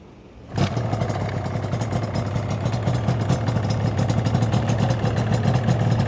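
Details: Yamaha R1-Z two-stroke after top-end and bottom-end overhaul: fires instantly and settles into a crisp, even burble, picking up cleanly with throttle; healthy running.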